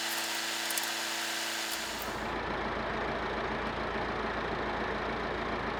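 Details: Massey Ferguson 50HX backhoe loader, 4-cylinder Perkins diesel, hydraulic pump newly connected to engine, arm cylinders leaking: steady rumble loaded by pump as arm works, no knocking, grinding or whine; normal running with hydraulics working.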